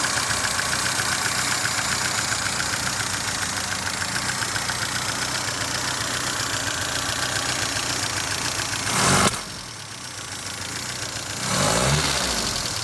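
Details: 1978 FIAT 124 Spider at idle: steady idle with an uneven, stumbling beat and a faint irregular knock underneath; rough idle, cause not evident.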